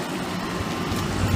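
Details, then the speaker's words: 1994 unbranded 2.5-ton air conditioner outdoor unit with Bristol reciprocating compressor and A.O. Smith fan motor, on a hot day: steady low drone with rough rumbling buzz; fan very noisy and unit vibrating, compressor barely audible. "it's pretty loud community just gonna close the doors yeah the Fan's very noisy yeah and and it's vibrating too"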